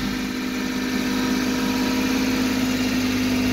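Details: 1978 Porsche 911 SC Targa, 160,000 miles, after startup: steady even note well above normal idle, no dip or settling; can't adjust idle lower, dealer suspects idle adjustment problem, not confirmed, engine runs good.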